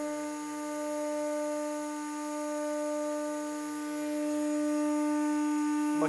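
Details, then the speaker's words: CNC router spindle running at maximum speed with vacuum pump and dust extraction also running (vacuum blower noted as noisy); steady high-pitched whine with stacked pure tones, level throughout, normal. "spindle maksimum seviyede çıkardığı ses bu aynı zamanda vakumun çalıştığını düşünün aynı zamanda toz emme çalıştığını"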